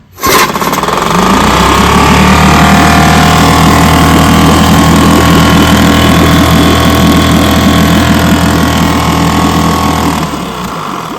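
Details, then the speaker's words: Vintage outboard in a test barrel, known-good power head swapped onto the known-good gear case, wash hole plug refitted; loud steady two-stroke drone, even beat, no stumbling; pumps water, so power head and this gear case are good and the fault lies in the other gear case. "And yes, sir, she pumps water. Tells me the power head is good and that gear case is good."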